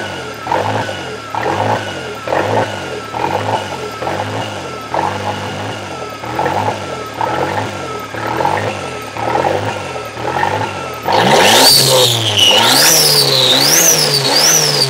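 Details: Toyota 3E-TE engine at startup: speed rises and falls about once a second between about 1500 and 2500 rpm, then sharp revs; hunting idle, engine seems to run hot, cause unknown.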